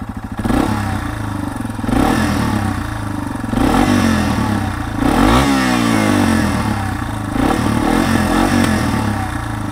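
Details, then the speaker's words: Warmed-up 2021 Yamaha TW200, carbureted, 1000 miles, in neutral: smooth idle with quick throttle blips climbing and settling cleanly, only a faint light rattle considered normal; normal revving. "and uh that's what the tdub sounds like so there was a hair of rattling in there but nothing to uh be concerned about and if your bike sounds like that then that is totally normal"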